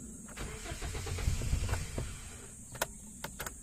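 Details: 2017 Hyundai Accent manual, just back with ECU reworked over an ignition-coil problem, fuel pump possibly replaced; uneven starter churning with weak firing for about two seconds, then dies to a few clicks; cranks but won't keep running.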